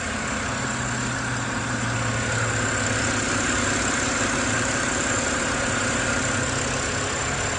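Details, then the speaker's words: BMW E93 (M52/N52 engine) on a cold winter start: fast, steady metallic ticking over the idle hum that is loudest as the rpm drops; the owner suspects rod knock or hydraulic lifters. "it sounds like a ticking bomb. Like, it sounds like it's about to blow up for some reason."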